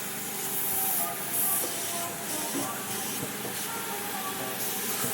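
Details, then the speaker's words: Train-horn air system on a Cummins truck, its tank left sitting about two years with water inside: a steady airy hiss under the compressor's pumping from air leaking at a loose hose fitting on the horn, which needs taping or redoing. "yeah so it sounds like it sounds like I need to take that fitting off I need to take this off all together and put some taper on that because it's yes coming off from there"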